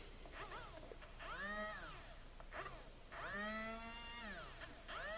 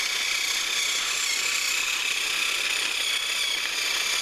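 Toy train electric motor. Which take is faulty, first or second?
first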